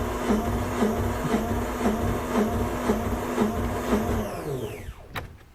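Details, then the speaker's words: 1978 Yanmar YSB8 marine diesel, sat 10+ years in a flooded boat, after adding 10 liters of diesel and bleeding: even cranking about two strokes a second that never catches, then winds down; owner suspects air still in the fuel system. "See, maybe there's still a tiny bit of air in the fuel system here. Let me just open the bleeder again for 1 second. They may have just pushed a little spurt of fuel through and there wasn't consistent flow yet."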